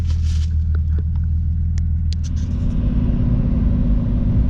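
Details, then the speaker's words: Car after misfire repair, spark plug check and vacuum-leak hose replacement, warmed up before a test drive: steady low rumble, even idle beat with no stumble or skip; sounds pretty good. "Alright guys, so far she sounds pretty good."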